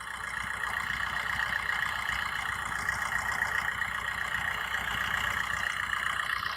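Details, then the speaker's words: Used car engine at idle during a pre-purchase inspection in India: quiet, even idle with a light steady top-end tick, no knocks, misses or other abnormal noise; described as a normal engine sound. "Normal engine Khwaja तेरी गाड़ी का normal injured एकदम मतलब जैसे है bridge में होता है वैसा ही है इजी तरीका कोई अदर आवाज नहीं है"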